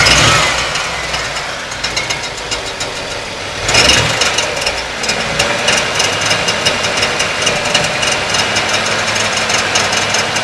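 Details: 1992 Ford Taurus 3.0 Vulcan at idle: constant harsh metallic grinding with fast irregular clatter, about four hits a second, seeming to come from inside the right side of the block. It persists with the alternator and serpentine belt removed; the cause is unknown.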